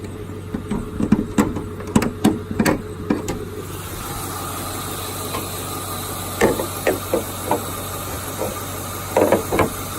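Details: 2002 Ford Mustang GT V8 at idle: sharp ticks in uneven bursts over a steady hum; a top-end tick or knock of unknown cause, for which the owner seeks help.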